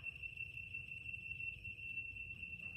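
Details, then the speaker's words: Laser level receiver on the grade rod beeping fast, about three beeps per second, over a quiet background, showing the sensor sits above the laser line and must slide down; slower beeping means too low. "Slide the sensor up and down the rod until you hear the beeping now it's beeping was you can see it was beeping too high so it needs to go down"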